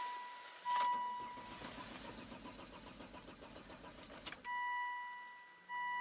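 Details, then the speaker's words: Mercedes that keeps stalling: the starter cranks and the engine catches briefly with an uneven patter, then dies within seconds amid warning chimes. An injector fault or over-fueling is suspected, and the battery is getting low. "right so it dies then it starts and then it dies and then it starts this dies and starts died again"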